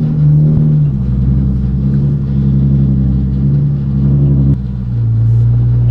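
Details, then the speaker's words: Turbo Nissan Z after installing new downpipes and exhaust to cure a bad exhaust leak, quieter on cold start, idling while checked for leaks: deep, even rumble with no ticking or puffing; normal exhaust, no leaks. "i need to take it out for a rip but are we gonna check for exhaust leaks first that's uh very important don't really hear any exhaust seats"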